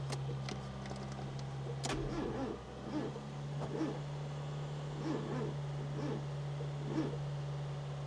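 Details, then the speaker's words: 1996 Fiat Cinquecento Sporting, 26,000 miles, abandoned seven years: sluggish, labored, slow uneven cranking with no catch over a steady hum and no fuel pump heard engaging; battery not spinning the engine fast enough. "But to be honest, even if there isn't fuel getting through, to me, it doesn't sound like we've got enough power there anyway."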